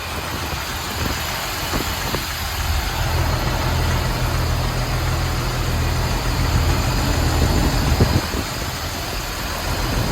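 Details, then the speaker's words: Jeep Wrangler TJ after a tune-up with new plugs, wires, distributor cap, rotor, fuel injectors, heat shields and a cleaned K&N filter: steady, even low idle with no stumbles or misfire, quieter than before; normal idle. "Seems to be running pretty smooth. No misfire or rough idle. It's actually a lot quieter and the engine sounds really good."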